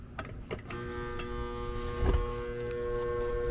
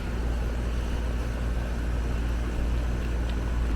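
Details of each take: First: Apartment AC condenser after failed condenser fan motor install: strained, steady hum with buzzy edge after a few rough clunks; one supply leg reads nothing, so the compressor is labouring on a lost leg. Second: Apartment AC condenser after an HVAC tech corrected a botched condenser fan motor install, amp draw close to spec: low, steady hum with even fan whoosh, no rattles or pulsing; running normally.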